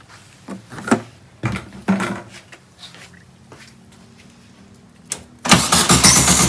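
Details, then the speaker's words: 1967 VW Karmann Ghia air-cooled engine, abandoned 45 years in a barn: starter spins the engine steadily with no firing. No fuel reaches the carb because the mechanical fuel pump is dead, which is why it won't stay running. "yeah the pump's not working so um nothing coming to the pump the pump is dead all right something's going on at the pump that's why it won't stay running"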